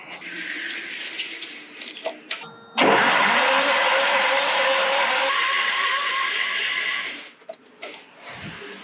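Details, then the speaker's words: 1977 Datsun Z with L28 engine, off the road since 2010, cranked during a compression test with oil in cylinder one. The starter makes a harsh, grating, uneven whir and sounds bad, though it is not hot. "Well, that starter is starting to sound pretty bad."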